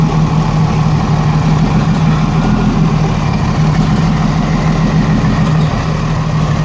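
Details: 1987 Jeep Cherokee Renix 4.0 with a lumpy, stumbling rough idle from a cylinder 6 misfire; exhaust rocker barely moving, traced to a sticking exhaust valve or bad lifter; loosening the rocker bolt smoothed it, leaving a slight tick.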